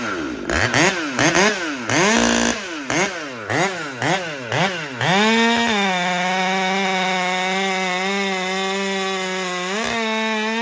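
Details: About 6-month-old Husqvarna T540XP Mark III chainsaw with performance work and auto-tune, warmed up after a cut, keeps shutting off: throttle blips, then idle sits high and wavers before dipping; running lean, starved by a restricted fuel filter.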